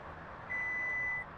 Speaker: just press the large touch pad you'll hear a beep and the back door will power